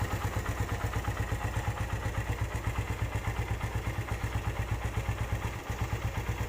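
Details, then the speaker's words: Used Suzuki Satria FU 150 motorcycle at idle: a steady, even low thump with light, regular tek-tek valve ticking. Considered normal and typical for the Satria FU; the engine is otherwise not noisy. "Hai suaranya nggak berisik kalau Satria sih wajar aja jika ada suara-suara tek tek tek tek seperti itu itu emang penyakitnya Satria FU rata-rata seperti begitu"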